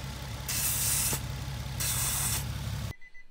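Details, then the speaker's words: Car with 3-inch intake and the crankcase breather/PCV ports blocked off, just started at idle. Two loud hissing bursts over a steady idle as the crankcase draws heavy vacuum through the capped port. "so when you block off that port you create this problem right you hear that what that is it's a huge vacuum the vacuum is not that heavy right now because the car just started we haven't really driven into stuff for the vacuum to build"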